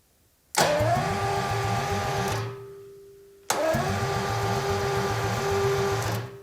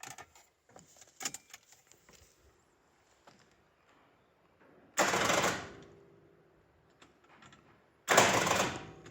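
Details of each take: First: 1977 Jaguar XJ12 Series 2 V12 with a new starter, hotwired to the battery with the exhaust off and the battery slightly flat. Two bursts of fast, even cranking with soft compression pulses; this low-compression sound is normal for the V12. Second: 1977 Jaguar XJ12 Series 2 V12, battery fully charged and connections tight: two short starter whirrs dying almost at once, like a flat battery; faulty starter engaging only halfway, stuck, replaced.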